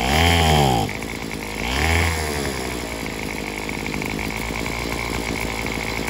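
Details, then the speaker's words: Craftsman WS210 string trimmer, carburetor cleaned and replaced: two short revs sag and fall away into a lumpy, struggling idle, bogging under throttle as if fuel-starved; owner suspects partially blocked fuel line or muffler. "because it seemed like it sounds like it ain't getting no fuel enough fuel"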